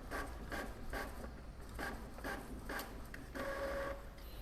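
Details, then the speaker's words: Epson L3110 printer after fixing error 0310006 (ink, paper and power lights blinking together) by replacing fuse F1 on the mainboard; printing again, though ink not yet coming out. Regular paper-feed and carriage passes about every half second with short motor whirs. Normal printing. "nah printer lihat printer sudah bekerja ya ya dia sudah berhasil mengeprint"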